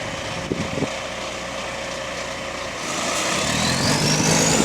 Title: Exhaust Leak | GAL WVL414 On Bus Route 486 (Spot + 7)